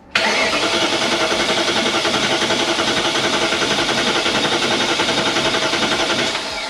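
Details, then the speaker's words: BMW E39 M5 supercharged S62 V8 after rod bearing replacement, cranking with plugs in, fuel pump off, supercharger belt disconnected; quick, even cranking with steady compression pulses and no knocks, quicker than without plugs; healthy cranking with compression. "it's cranking very quickly yeah looks like it cranks quicker with compression than with no plugs"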